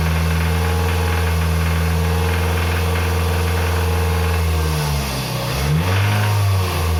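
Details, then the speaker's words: Toyota RAV4 2.0 1AZ-FE, 228,000 km, held at 2,200 rpm: dull uneven knock under the exhaust, silent at idle; timing chain already replaced without cure, rod bearing suspected, not yet confirmed before teardown. "вот такие звуки издает двигатель на оборотах 2.200 сейчас вскроем и посмотрим но мое предположение что это вкладыш Застучал"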